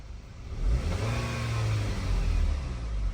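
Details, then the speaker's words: 2011 Volkswagen Eos 2.0 TSI after OEM PCV valve and timing cover gasket replaced to fix vacuum leak: smooth rise and fall through a quick rev blip, even firing, no stumble; idles perfectly with no misfire or check engine codes. "Perfect idling car. No check engine, nothing. Great success, man. This is awesome."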